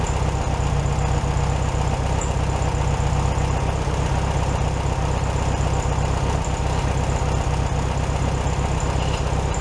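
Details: 1967 VW Beetle 1500cc, warmed up, carburetor reinstalled with a new base gasket: a steady, even low chuff at a slightly high idle, no misses, stumbles or hunting. Healthy normal idle.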